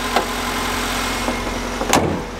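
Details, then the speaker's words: Honda with VTEC bought for £50, started after being completely dead; steady, even petrol idle with smooth hum, no knocks, ticks or misses, a couple of handling clicks; sounds really healthy: normal idle. "yes oh my god that sounds really healthy"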